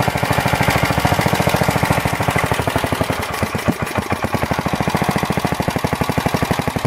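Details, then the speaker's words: Planet Jr. Model B walk-behind tractor, first start after cleaning the carburetor, draining old gas, adding crankcase oil, belt off: single cylinder thumps about two beats a second, uneven and hunting. No smoke; unsteady idle, needs carburetor adjustment. "well it wasn't bad for a first start not smoking or anything and just needs a little bit of carburetor adjustment and see if we can keep it at a good idle"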